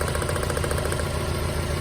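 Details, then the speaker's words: Mazda Miata running on three cylinders: lumpy uneven idle; plug pull shows cylinder 3 dead though coil and plug spark; bad fuel injector found as cause. "man, this thing is running like garbage. And it is, it's a misfire."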